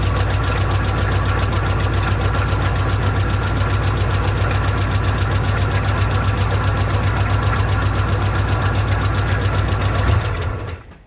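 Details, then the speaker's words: Old engine with an old, unidentified carburetor, bowl primed with poured fuel: rough, pulsing run at about 220 beats a minute for ten seconds, then stalls quickly as gas is given; owner suspects a bad accelerator pump or flooding. "Boy, you give a little gas and she dies right out."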